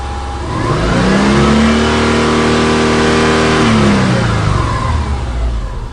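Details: 2003 Subaru Forester with P0032/P0037 oxygen sensor heater codes, now cleared: a clean rev rises smoothly and falls back, pulling evenly with no hunting or misfire; normal, healthy revving while fuel trims are watched.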